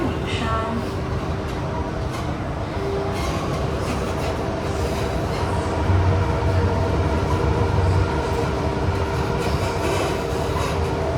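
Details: Kawasaki Heavy Industries & CRRC Sifang CT251 train set 2034 (carriage 20342), filmed 28 January 2024 running Upper Thomson → Bright Hill → Mayflower: a thin steady wheel squeal over the rumble and wheel clatter, flaring briefly mid-run.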